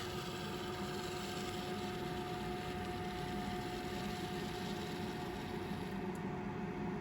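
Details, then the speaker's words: 1976 Bachmann Norfolk & Western U36B pancake-motor locomotive after teardown, cleaning and relube, test run at low voltage: thin, steady motor hum at even pitch at crawl speed, around 4-5 volts; runs smoothly. "This thing is ready to test out on the track. Let's give it a little twist of the wick here. Yeah, there's that sound. There's that speed."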